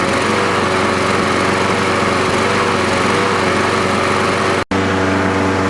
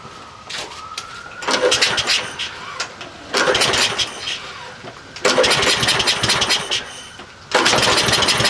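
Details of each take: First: Troy-Bilt 12AV566N011 mower after float bowl and main jet cleaning: single-cylinder runs smooth and even at steady speed with one brief dropout; normal running. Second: Troy-Bilt 12AV566N011 push mower, automatic choke, no primer: four rough pull-start bursts about two seconds apart, each sputtering briefly and dying; dirty carburetor with sticking float needle valve flooding.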